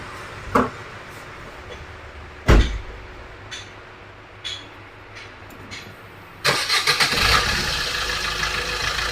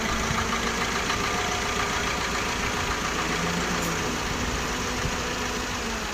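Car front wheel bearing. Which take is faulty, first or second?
first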